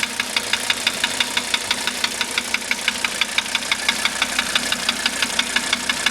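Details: 1985 Mercedes 300D diesel, just running again after a starter rebuild, valve adjustment, new glow plugs and a diesel purge: a sharp, regular metallic tick-knock rides evenly over the idle; cause not yet found.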